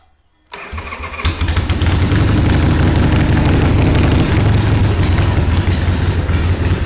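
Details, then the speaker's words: 1979 Harley-Davidson Ironhead Sportster XL1000 starting for the first time in over 25 years, with extra choke and idle turned up. The V-twin cranks, catches and runs lumpy, stumbling instead of settling to idle. Flooding is suspected. "so I think we're kind of flooding it a little"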